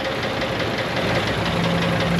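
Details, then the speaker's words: Ford F150 4.6 V8 idling, misfiring, with oil bottles found in the bed: hard, fast metallic knocking steady over the exhaust note. Internal engine knock at idle; judged to need an engine. "bare minimum uh needs a motor I there's something crazy going on down there hear that"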